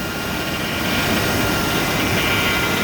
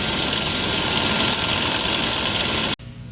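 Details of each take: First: 2000 GMC Yukon Denali engine running after replacing the belt tensioner that chattered from a vibrating pulley: steady, even hum with no rattle or chatter from the belt side; accessory drive sounds normal. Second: 2000 Yukon Denali, engine running: a fast, uneven chattering rattle from the front drive belt, caused by a vibrating belt tensioner pulley; fixed by replacing the whole tensioner.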